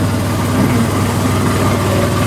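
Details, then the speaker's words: Dump truck diesel at steady heavy idle, rough puffy exhaust note. Exhaust leak: bed-heater exhaust tube off bottom pipe rusted out from water over time; lightly patched before. "but uh that right there is the exhaust that's what you're hearing this thing sounds so bad"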